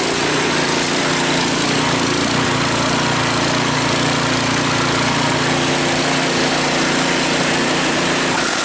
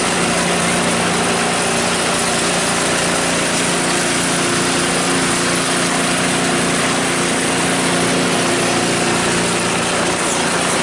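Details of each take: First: Cub Cadet 5 24 snowblower, running after a weak-drive repair: engine at steady high speed with a loose busy rattle, from rubber pellets rolling around inside the housing; drive now much stronger. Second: Cub Cadet 5 24 snowblower running after weak-drive repair, drive now much stronger: steady, even mid-pitched engine drone with no misses or knocks; running healthy.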